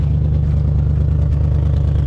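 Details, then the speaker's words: Junkyard 1987 Ford Bronco V8, first start: deep, slightly ragged pulsing under light revs after a brief valve tick went away; owner thinks exhaust leaks, not a misfire, maybe one dead cylinder. "I think just exhaust leaks I don't think we're misfiring at all that's hard to [Music] tell maybe maybe one dead cylinder but nah she ain't rattling at all she a nice and smooth sitting there now"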